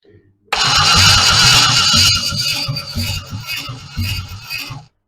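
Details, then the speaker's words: Freshly rebuilt 1960s Chevy 327 small-block V8, first crank without fuel to check oil pressure: about four seconds of strong, even cranking, no firing, no odd knocks; oil pressure gauge climbs. "Just crank her over a bit to see if she's got oil pressure before we even attempt to do anything else."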